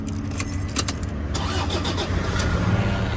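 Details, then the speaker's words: 2013 Toyota Hilux Vigo Champ, 2.5 VN turbo diesel, manual, 220,000 on the odometer. Key rattle and a short crank, then it starts first try and settles to a steady low idle with the AC cold and no engine warning light. Normal start. "ทีเดียวติดครับไมค์220,000นะครับนี่แอร์เย็นรอบเดิมนิ่งๆนะครับ"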